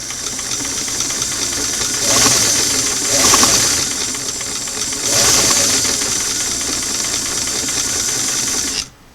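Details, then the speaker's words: Singer sewing machine on restored clam-shell foot pedal, reassembled with screw fully in after adjustment: low hum then sudden surges to fast whirr, touchy, slow jumps to fast with little medium; pedal speed control jumpy, needs readjusting. "little touchy trying to go from slow into medium seems to want to go from slow to fast mostly"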